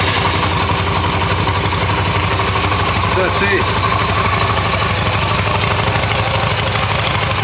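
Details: Restored Yamaha XV250 Virago small V-twin, started in neutral on the electric starter, ready for registration with everything working: busy, even idle with a steady pulse and no knocks or misses; normal idle.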